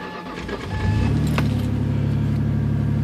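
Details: Ford Contour after battery replacement, cold and not run for a while, key cycled to prime fuel: short crank, catches within a second and settles into a smooth, even idle; normal start.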